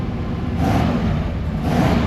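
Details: Chevy Suburban 454 V8 after fixing a no-fuel-pressure problem where it wouldn't stay running (fuel pump lines redone): two quick, clean throttle blips rise and fall smoothly with no stumble or miss; it revs healthily.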